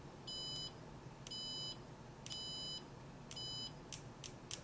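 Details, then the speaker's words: Siglent SDM3055A 5.5-digit bench multimeter in continuity mode with beeper on: high beeps about once a second, but several probe contacts get no beep because the meter reacts too slowly and misses brief connections. "You can see that because the instrument is a little bit slow. It can actually miss connections. See, I have to be spend more time."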